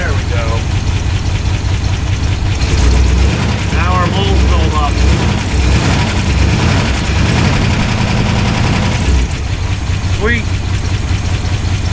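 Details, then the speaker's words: 1969 Chevelle wagon retired race car V8 at idle after fuel pump install: loud steady idle with busy ticking top end and uneven loping beat; noisy valves, suspected misfire dead hole, rough idle. "I don't like how noisy the valves are on this thing. Sounds like he's got a misfire dead hole. But there's a horn moving there though. The idle is just not happy."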